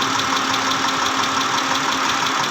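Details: 2010 Mitsubishi Pajero, 6G74 V6, at idle: sharp, regular metallic tapping several times a second, from inside the engine; engine knocking, cause not yet pinned down.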